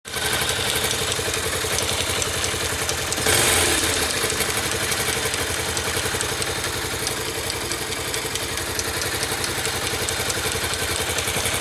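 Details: 2009 Yamaha YBR/Factor 125 before repair: a light, fast tick at about four per second rides over the steady single-cylinder idle, a tec-tec noise from the engine.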